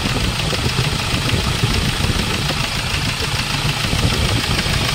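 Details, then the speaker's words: Hyundai Starex Gold diesel, recently overhauled after overheating: hard, uneven ticking knock over the idle, sharper than normal clatter, severe fuel knock with vibration, pointing to leaking fuel injectors. "so ito Guys may starx tayo na sobrang fuel knocking kahit na ka- Menor o nire-review na tayo"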